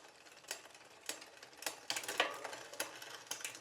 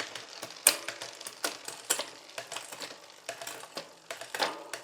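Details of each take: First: New Poseidon Triton road bike during build, factory drivetrain shifting: light uneven scraping ticks about three a second with crank rotation, unwanted grinding and frictional noise from chain rubbing; derailleur needs adjustment. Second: okay so I've gone all the way up and all the way down the cassette while I'm in the Big Chain ring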